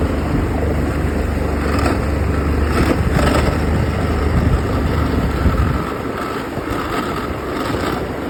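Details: Ox66 engine running steady with a rough grinding rattle that eases slightly as revs drop; compression excellent, prop not slipping, and new spark plugs stopped it only briefly; cause unknown.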